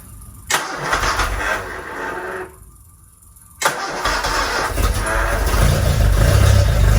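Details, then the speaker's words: TVR Vixen Super Sprint Spec, first start after rebuild: engine catches after a stumble, lumpy uneven idle, exhaust manifold glowing red; timing light showed ignition too advanced, retarded to spec. "we chucked the timing light on and the ignition timing is a little bit too advanced so we pulled it back to where it should be"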